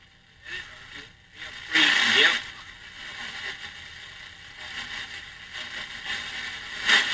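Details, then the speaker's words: Belmont 636 radio receiver during restoration, before IF alignment, using the body as an antenna: tuning across the dial gives hissy, scratchy bursts and no clean station; set badly out of alignment. "[Music] good sign so it just sounds like it's just way way out of alignment"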